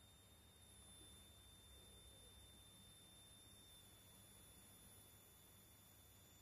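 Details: 5A MPPT solar charge regulator YH11087A, 60 Wp panel input around 17.5 V, 12 V 55 W H7 bulb load, 12 V output; raising output current limit from ~0.77 A toward 1.53 A produces a thin steady ~7 kHz whine over hiss: coil whine from regulator inductor.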